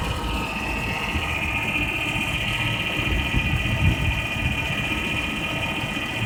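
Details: 2000 Ford Taurus 3.0L 24-valve V6 at idle with a steady high whine riding over a busy, uneven clatter; weird noise of unidentified cause.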